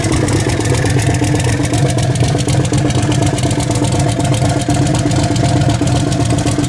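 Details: Turbo Nova V8 after swap to a bigger cam: choppy, loping idle with uneven rhythmic lope under exhaust rumble, typical of the big aggressive cam.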